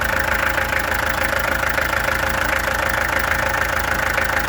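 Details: Peugeot XD2 diesel at idle, before the injectors were removed, tested and adjusted: rhythmic clatter at about three pulses a second, slightly uneven in beat. Owner suspects a misfire; cause not pinned down.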